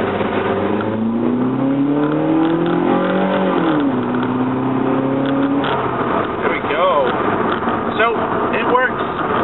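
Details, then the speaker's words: 2008 Nissan Versa sedan, first test drive after replacing the fuel pressure regulator: engine pulls cleanly under quick acceleration, tone rising smoothly through each gear, no stumble or hesitation; normal acceleration. "all right so this is my first test drive with the fix fuel pressure regulator and then we're going to go do some really quick acceleration see what"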